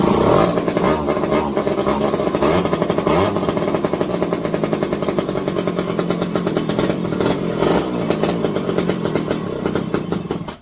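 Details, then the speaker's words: Electric-start McCulloch 510E chainsaw with a just-fitted carburetor: revs with a rough, blubbery burble instead of a clean scream; running rich because the high-speed mixture is set too far open. "Oh, you got way too far open on these. Remember, I just tossed this carb on."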